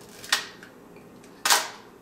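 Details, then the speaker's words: Mamiya M645 1000s film camera bought for parts, shutter test: two crisp, short, clean snaps about a second apart with no drag or double click. Normal shutter operation. "really fast how about 1100 really fast"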